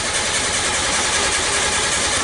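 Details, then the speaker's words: Nissan Sunny Y11 AD wagon after engine swap, P0335, crank sensor plugged in, check light goes off: steady fast cranking with no catch; intermittent crank no start, starts when the crank sensor is unplugged. "all right so that exactly the compain is right so you saw the check light came off and the car doesn't want to start the crank sensor plugged in"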